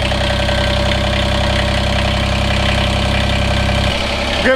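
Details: Kubota BX diesel tractor after removing the fuel filter, pump now delivering fuel: steady, even diesel clatter at constant idle, no misses or hunting; normal idle.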